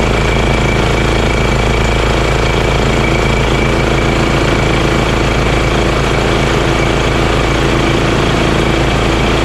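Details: Honda GX340 single-cylinder in EZGO Workhorse golf cart repower, after verifying key start and kill switch shutoff: steady low idle chug about three and a half beats a second, no misses or knocks. Normal idle.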